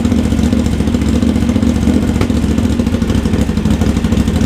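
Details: Honda GL650 first start after full rewire, stock headers with crossover into a merge and Cone Engineering muffler, smoking as paint bakes on: deep, even twin rumble idling and blipping with no knocks; normal running.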